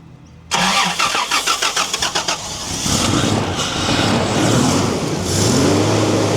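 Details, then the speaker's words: 1990 Toyota LandCruiser petrol engine after sitting for years, running only on fuel poured into the carburetor bowl: brief cranking, then steady even run under loud fan rush; running well. "She's only running off what's in the in the bowl, but she's it's definitely running really well."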